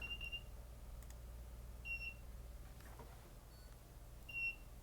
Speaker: I'll have to find what's making that noise. It's like an alarm of some sort.